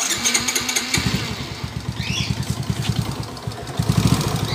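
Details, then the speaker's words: Startup of a 2017 Smash 115 with a noisy engine: rough, heavy uneven thumping about ten a second, surging, strong vibration, "like something fighting inside"; crankshaft misalignment, engine to be removed for a refresh. "parang k na rin toang may nagkakalaban sa loob oh masyadong ma- vibrate na boss"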